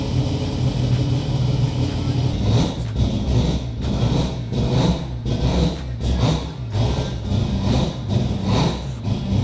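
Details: Mazda FD RX7 with 26B four-rotor engine, just started after fixing a no-fuel-pressure problem: loud, deep raspy rotary pulsing in repeated sharp revs to high rpm, rising and falling cleanly with no misses or rattles; normal free revving.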